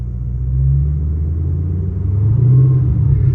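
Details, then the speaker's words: Race car cabin after nut-and-bolt check and exhaust leak fix, level ground: steady deep engine rumble, no floorboard rattle (previously rattled at 2,500 rpm); quietest it has been. "Let's go! I'm so happy it's not rattling. You guys have no idea how annoying having my floorboards rattle right here every time this thing hits 2,500 RPMs. No rattles."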